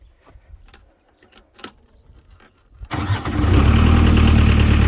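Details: 1998 JCB 208s (1CX) diesel backhoe loader after injector pump rebuild and new ignition switch: quiet clicks, catches at about three seconds and settles straight into a steady, even idle; healthy start.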